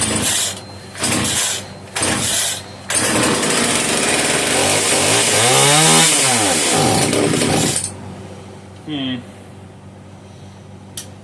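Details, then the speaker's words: Italian-made Castor 330 Antivib (rebranded Alpina) chainsaw, trigger hold on, ignition on: pull-start bursts, then catches and screams briefly before dying; probably won't run on its own fuel, owner suspects rock-hard carburetor diaphragm. "My guess is the diaphragm in the carburetor is rock hard, so it's probably not going to run on its own fuel supply, is my guess."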